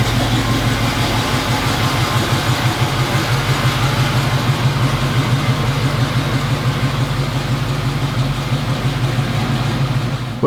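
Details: 1980 Chevrolet Camaro Z28, LM1 350 V8 with Turbo 350 automatic, parked five years, after fresh fuel and new spark plugs and wires: deep, steady idle with even low thrum, no knocks, misses or rattles; normal idle.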